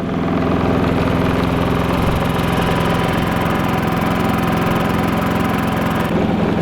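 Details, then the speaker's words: New Predator 3500 inverter generator with zero hours, just pull-started, idling with no load (124 V, 0 A) in economy mode; a low, even, quiet drone with a smooth beat and no misses or knocks. "let's put the economy on this thing is quiet very quiet Wow but quiet this thing is"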